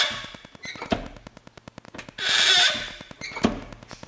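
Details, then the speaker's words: Subaru WRX clutch: sharp high squeaks with each pedal stroke over faint ticking, varying with rain, dryness and heat; not the release bearing, clutch pedal squeak later fixed. "so number one if you have had trouble with a squeaky clutch and I'll put it clip in right now it sounds like this"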